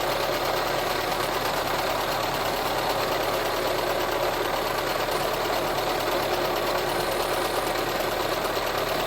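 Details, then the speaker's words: VW Touran 1.4 TSI, first start after engine reassembly: constant light rattling chatter over idle, about four beats per second, first suspected as timing chain but actually from the water pump idler pulley. "en fait c'est pas la chaîne qui fait du bruit c'est pas du tout la chaîne même c'est le galet de pompe à eau"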